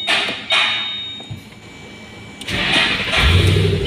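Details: 2008 Ford Mustang with a no-start complaint, after replacing a faulty wire and charging the battery: a quiet pause, then a short crank that catches and settles into a steady idle. It now starts normally.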